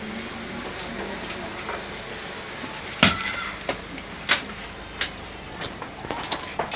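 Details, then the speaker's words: Pedestal fan's old main power lead, flexed by hand while hunting an intermittent fault where the fan stops: faint handling clicks, then one sharp loud crack as the wires touch inside, flash and burn: an electrical short arcing in the power cord. "जी दोस्तों, जैसा कि आपने देखा कि यहाँ पे एक आवाज़ हुई है, फ्लश हुआ है और यहाँ से तार जो है वो आपस में टच होके जल गई है। तो अभी आपने हल्का सा एक आवाज़ भी सुना होगा और आप देख सकते हैं यहाँ से तार जली हुई है।"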